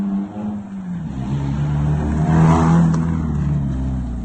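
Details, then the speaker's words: Mazda Miata, restarted once the swapped coil plugs were corrected: cranks right up into a low, steady, even idle rumble with no misses or stumbles; normal idle. "So Kyle's gonna jump in and crank it up. See what it does. Crank right up. Turn like a kitten."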